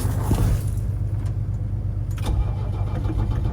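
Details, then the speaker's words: Diesel Mercedes engine in S-10 after bigger turbo install, refilled with fuel over several days: low steady starter churn turning over without catching; crank no-start. "All right, guys, I've been trying to start this thing forever, like a couple of days now. It is a couple of days later. I thought it was out of fuel, filled it up with fuel. Couldn't get it to start, right?"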